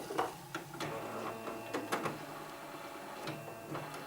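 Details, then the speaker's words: HP inkjet printer made around November 1997, about 20 years old, powered on without ink cartridges: a few sharp clicks and short whirring carriage moves, normal startup; LED blinks for missing cartridges. "Makes noises, it's good. Old school sound. And you can see that LED blinking right here, showing us that we need ink cartridges because there are not any in there."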